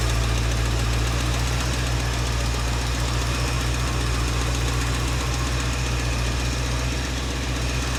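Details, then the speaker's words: 1967 Mercury Cougar V8 at first cold-start idle after sitting: deep steady rumble with a faint quick tick; mechanic suspects slight valve-train tick, maybe valve out of adjustment, caught early. "Well, I'm gonna be honest. It's already sounding like a slight tick valve train, but George, don't be so negative, buddy."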